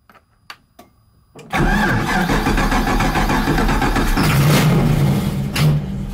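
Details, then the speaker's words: Car with confirmed spark that only starts when sprayed with starting fluid; a few faint clicks, then it catches and runs loud and rough. Owner suspects a fuel problem. "I don't want to keep doing that because the neighbors will get pissed with this thing being so freaking loud it has to be fuel it has to be fuel"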